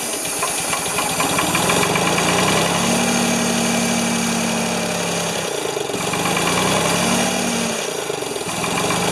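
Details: Ford 2600 tractor, choked with little gas: the engine chugs unevenly, surging and sagging every few seconds, flooding with too much fuel; puffing from the intake, owner worries the number one intake valve stuck again.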